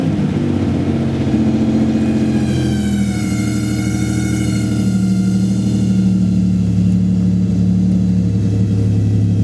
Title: strange engine sound vg30dett